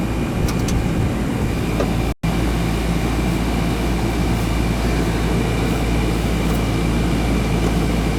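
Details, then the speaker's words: Newer Ruud AC (2020 install) that had stopped cooling: capacitor good, fault was a loose wire connection. The repaired outdoor condenser runs with a steady, even low roar of fan and compressor, with no clicks, rattles or cycling. It is cooling normally and draining well. "nice and cold yeah sure we get a nice steady stream coming out of there let it run for a bit behind it's just a loose connection"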